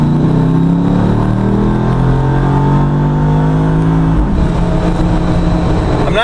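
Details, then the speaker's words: Corvette LS3 (480 hp, mild cam) in a heavy JK Wrangler Unlimited on 40-inch tires, automatic, wide-open-throttle pull: deep V8 roar climbing smoothly to about 7000 rpm through the shift with no misfire or knock; 0-60 about five seconds; normal acceleration. "not really sure where it stops pulling but it's definitely around 7000 RPM 0-60 on this Jeep now is about five seconds"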